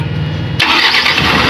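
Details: Mitsubishi Canter 4M50 diesel truck, restarted after the no-start repair: brief crank catches almost at once and settles straight into a strong, even run. Normal quick start.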